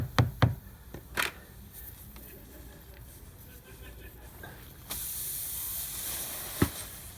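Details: Bridgestone run-flat tubeless tire slowly leaking for days: a few sharp taps, then a steady high hiss of air escaping through the hole after a long Robertson-head screw is pulled, before reaming and plug-patch repair.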